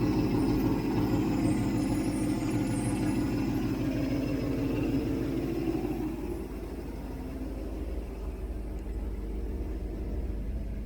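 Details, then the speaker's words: 1967 Mustang 390 V8 after engine rebuild, warm with temperature gauge normal and oil light off, idling at 700 rpm: deep, even lope with steady low rumble, no ticking or knocks; exhaust leak noted; healthy idle. "Oh, wow. Listen to that idle. That is sweet."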